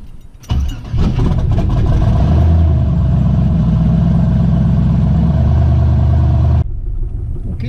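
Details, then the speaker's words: Twin-turbo Ford Ranger on its first drive, running E85 with a revised timing and fuel tune: it catches and runs about six seconds with a lumpy, uneven throb, loud exhaust on one side, then stalls. The owner suspects one full bank isn't firing. "something's not not right at all ah it almost seems like one full bank isn't firing"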